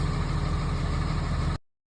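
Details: 2005 Dodge Ram 3500 Cummins diesel idling after an alarm-related no-crank no-start was cleared by enabling the alarm with the key fob and turning it right back on: steady, even rumble with no knocks or misses.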